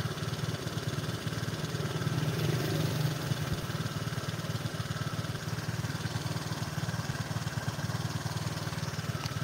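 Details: Motorcycle at idle, owner reports sluggish, held-back pull on throttle: idle rises by itself without throttle, then drops, repeatedly up and down; unstable surging idle.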